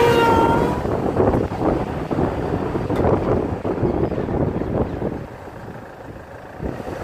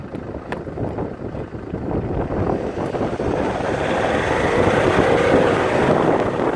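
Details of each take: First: Land Rover Freelander 2 SD4 2.2 diesel driving under load: thin whistle rising over road and wind noise, appearing near 2000 rpm as it pulls; suspected boost-related, source unconfirmed. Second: Land Rover Freelander 2 SD4 2.2 diesel on road test after repair: steady smooth swelling pull under load and boost, no hiss or whoosh; earlier noise under boost gone, caused by a boost leak in a reused hose.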